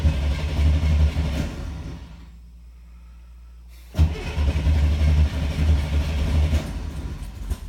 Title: Hard Starter